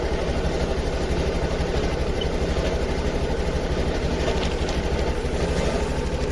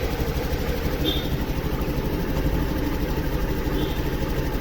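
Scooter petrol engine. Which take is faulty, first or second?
first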